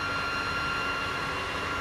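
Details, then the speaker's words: Cisco 3560X network switch that won't power on or boot, no lights: steady loud abnormal fan roar with fixed tones, caused by a failed power supply. "and the switch doesn't power you can hear the noise that is coming from the fan which is this is not normal"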